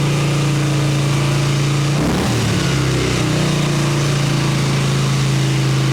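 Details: 1989 Harley Ultra Classic Tour Glide Evo V-twin, butterfly carb, on ancient gasoline: a steady low thumping idle on choke, a brief stumble and dip, then it recovers. It idles only on choke and dies without it.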